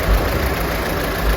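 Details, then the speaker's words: Opel Astra J automatic after transmission repair (radiator leak let water into ATF; clutch/friction set replaced, solenoid valves and valve body cleaned, gearbox washed): steady even low idle, no knocks, misses or whine; running normally after repair. "açıyor her şey normale döndü bu aracın bitiş ve müşteriyle röportajı olacağını söylemiştik onu da belirtelim"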